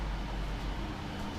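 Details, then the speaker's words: Trotec portable air conditioner, rotary compressor, running in a room in hot weather: low, steady, even hum, quiet, heard mainly from behind, getting slightly louder the longer it runs; normal running. "compressor is super quiet too can only hear it from behind really although like i did notice that the longer it runs the louder the compressor gets you can hear it a little bit but"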